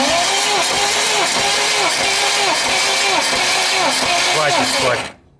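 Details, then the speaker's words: Freshly rebuilt 1.8 L engine on 11-series block, during compression testing (12 per cylinder) the morning after failed start attempts: labored, uneven slow cranking about two turns a second as the battery is too weak. "так надо подзарядить аккумулятор что-то он вообще Еле крутит после вчерашних наших запусков"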